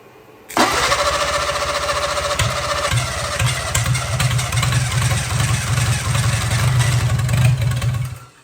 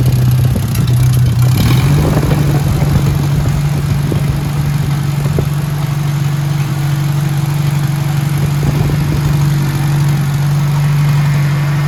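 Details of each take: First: 1957 Hercules Power flathead four-cylinder with magneto, first try on a possibly weak battery before fuel work: steady even cranking about eight seconds with occasional firing attempts that never catch; cranks over good but won't run yet. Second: Hercules Power flathead four-cylinder (tag model ZXB, 2-5/8 x 3) with magneto, restarted on choke after refilling fuel filter: steady, even low drone with smooth regular beat, no knocks or misses; normal running.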